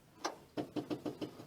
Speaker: that's pumping fuel can you hear it it's an su pump that's pumping fuel up to the carb makes it easier to start